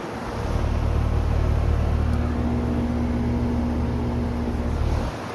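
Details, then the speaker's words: 2011 Carrier condenser running after run capacitor replacement: steady low even hum with faint higher tone, no rattles or clicks; unit fixed and running smoothly, sounding healthy. "Okay. So, sounds like this unit's fixed. It's running."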